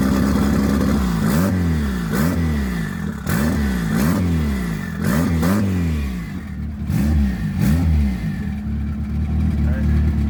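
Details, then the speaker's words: Boosted Honda Accord that wouldn't start, now running on E85 after cold start at 42 degrees: lumpy, uneven idle with repeated rev blips swinging the note up and down; definitely running rich. "It started right up, guys. I don't know why anyone says like E85 cold starts. I don't know if like 42 degrees isn't cold enough. He's definitely running rich."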